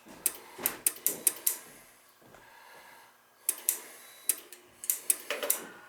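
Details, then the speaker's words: Dunkirk high-efficiency floor-standing gas boiler: sharp dry clicks in uneven bursts, about two a second, control relay/connector switching on and off continuously even with thermostat disconnected; water found, probably a bad control board. "another thermostat this connector is still clicking back and forth nothing's still operating on and off on and off and i got the thermostat disconnected we got issues here oh water so that's probably a bad board"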